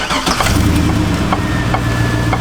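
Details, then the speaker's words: 2002 Chevy Avalanche Z71 V8 after a new mass airflow sensor: rough, lumpy beat with irregular stumbles; the idle is smoother but the misfire on revving remains, and a fuel issue is suspected. "definitely smoothed out the idol a bit but didn't fix the misfire when revving so I think we fixed the air issue we probably still have a fuel issue as so many of you suggested"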